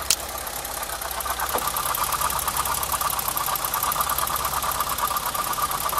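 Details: BMW 325i E30, warm and being heated further, probed with a mechanic's stethoscope: rapid regular ticking about three per second over idle with a faint whine; owner suspects water pump or alternator; cyclic ticking, source unconfirmed.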